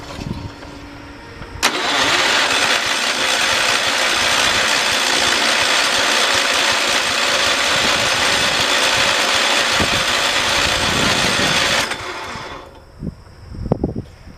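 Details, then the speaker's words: 1968 John Deere 112 garden tractor: starter grinds steadily about ten seconds with faint firing attempts; cranks but won't start, owner suspects carburetor or fuel pump problem. "did hear it is trying to start we might not be having a fuel pump problem well it's obvious we are but we may be having a carburetor problem"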